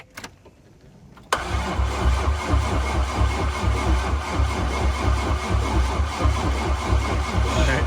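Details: C5 Corvette LS engine build, first crank without liquid in yet and oil added for break-in: starter engages hard, then steady cranking pulses about two a second without firing.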